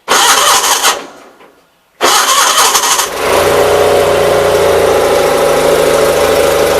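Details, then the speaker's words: Loader tractor after new lift cylinder hoses were fitted, started out of gear, with carburetor work still pending: a short crank and a stall, then it catches on the second try and holds a steady, even idle, running well. "The tractor runs really good. I just need to put a seat on it yet."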